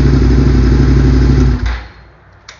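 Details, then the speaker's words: Second-gen Suzuki SV650 V-twin after coil-on-plug conversion, FI light on from unplugged items: firm, even idle with a steady low beat for about a second and a half before shutting off; runs clean, normal idle. "so just for proof of concept it's gonna have fi light because i have some things unplugged here but just so you see runs good"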